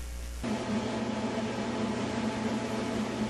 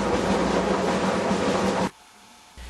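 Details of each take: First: Whirlpool dryer after an object was removed from the blower housing: steady even hum and airy rush with no knocks, scrapes or rattles, then stopping; normal running. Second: Whirlpool dryer running: a loud, rough, train-like rumble and rolling clatter, pointing to worn drum support rollers.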